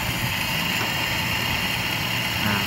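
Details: Toyota 5K carbureted engine during tune-up with air screw adjusted for smoothest idle: even, steady idle with no hunting or stumbling and a light hiss over the top; ticking over smoothly.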